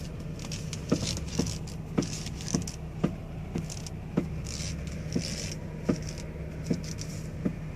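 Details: Toyota Alphard V3.5: sharp single knocks roughly every half second over a low quiet hum, not tied to engine beat; steering knocking noise problem.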